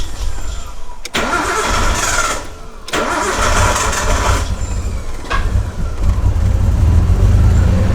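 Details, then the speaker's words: R32 Skyline with freshly swapped used RB20 engine of unknown history, new intercooler piping, MAF disconnected: cranks and catches twice, then lumpy uneven idle with irregular stumble; still misfiring, cause unconfirmed. "Last time when I had the MAF connected up, it was like not running properly, so I'm gonna disconnect the MAF and we'll see if that makes a bit of a difference. Yep. Sounds like it's still misfiring though."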